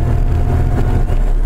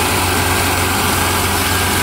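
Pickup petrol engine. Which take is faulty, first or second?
first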